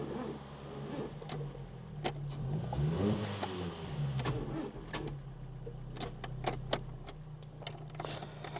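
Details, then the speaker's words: 1996 Fiat Cinquecento Sporting, 26,000 miles, abandoned seven years: sluggish uneven cranking with scattered clicks that never catches; no fuel pump can be heard running, and the battery sounds too weak. "But to be honest, even if there isn't fuel getting through, to me, it doesn't sound like we've got enough power there anyway."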